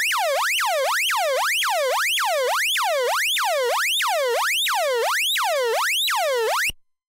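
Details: Early-1970s 6A/12860 Avro Shackleton stall warning tone generator, recorded by direct connection to the camera: clean steady warble repeating about twice a second, each sweep falling in pitch; working properly.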